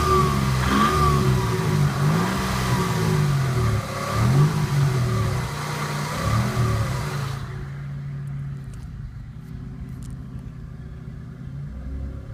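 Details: 1991 Toyota Camry under load: a deep rhythmic knock rising with revs, suspected rod or bearing noise; a stethoscope places it more at the bottom end than at the top of cylinder 2, and the oil pan comes off next.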